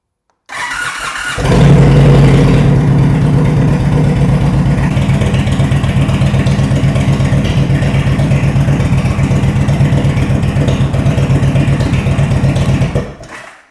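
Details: 2022 Indian Super Chief ABS after fixing no-crank fault at the crankshaft position sensor: starter whirs briefly, engine catches cleanly and settles into strong, even, deep thump of about four beats a second.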